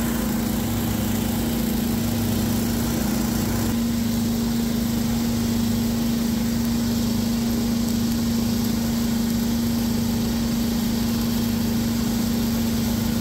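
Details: Abandoned two-stroke hedge trimmer after reinstalling the missing low and high mixture screws in the carburetor, which got the primer bulb working: steady, even buzzing idle with no misses or hunting, now running properly.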